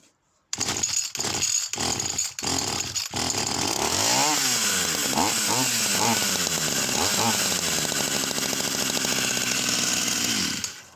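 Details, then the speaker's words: Vintage Husqvarna 44 chainsaw, freshly un-seized, siphoning fuel from the tank: the small two-stroke surges and sags unevenly as the throttle is cracked open and won't settle. Erratic running; the owner thinks it is the carburettor. "Real strange set of characteristics. Really, really strange. So I do think that's a carburettor."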